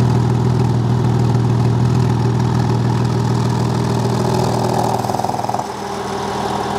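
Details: Porsche 986 Boxster S after fitting a Spyder Performance exhaust bypass valve set between the silencer and cat: deep, steady burble at idle with an even beat and no ticks or knocks; runs healthy.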